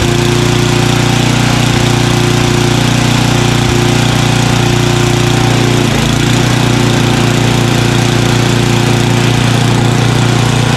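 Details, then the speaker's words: Craftsman 29" snowblower, 9HP Tecumseh single-cylinder, after carburetor cleaning with a blocked pilot jet cleared: low, even idle with a steady putt at the bottom of idle, no hunting or surging. "there you go it was the pilot jet after all that little tiny hole see it is at the bottom of idle and it's idling great"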